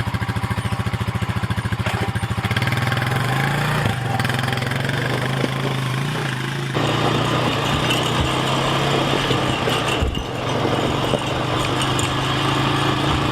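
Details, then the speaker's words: 2000 Honda TRX350TEY Rancher ATV single-cylinder after a carburetor replacement; the old rebuilt carb sputtered and overflowed fuel. It settles into a steady, even beat and pulls smoothly under throttle with no sputter. Runs healthy. "all right it's all back together let's test it out look at that sounds great"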